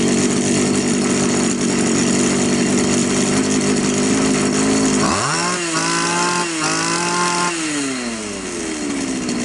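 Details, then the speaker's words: Champion string trimmer two-stroke, run with the lower shaft and attachment removed, after turning in the top carburetor idle screw: revs steadily high, then drops to a smooth, even idle without stalling; idle now normal. "в принципе нормально тример работает хорошо"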